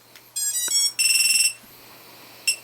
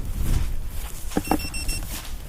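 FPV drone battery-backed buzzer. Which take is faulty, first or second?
second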